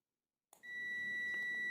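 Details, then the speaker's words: 4-pin automotive relay energized while a multimeter checks continuity across terminals 1 and 2: relay clicks, then a steady high continuity beep holds; contacts closing normally. "Ketika kita kasihkan tegangan, dengarkan dulu ada suara klik."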